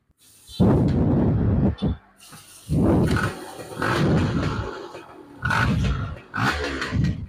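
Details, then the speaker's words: Yamaha F1ZR two-stroke after fixing lost ignition, running CDI without battery: starts immediately on the starter; raspy crackle revs sharply in about five quick blips, falling back cleanly; running strong with crisp throttle response. "ini diarter langsung Mat Dring tarikan motor juga responsif sekali menggunakan CD"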